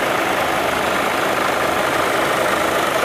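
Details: VW Jetta 2.0 TDI diesel, codes P011700 and P218400, warm idle with AC off, check engine light on: steady even rushing roar of cooling fans at full speed, never cycling off; fans run constantly.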